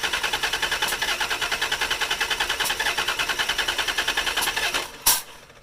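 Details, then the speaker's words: 1988 Dodge Dakota 3.9L V6 with electric fuel pump, after valve cover gaskets: steady cranking about two and a half beats a second for five seconds, never fires; plugs fine, injectors clean, right injector dumps fuel; cranks but won't start. "valve cover gaskets and now won't start spark plugs are fine injectors are clean"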